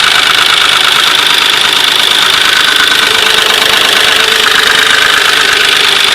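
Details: 2003 Nissan Maxima petrol engine idling: fast fairly regular light ticking about four per second over a bright hiss; cause unknown.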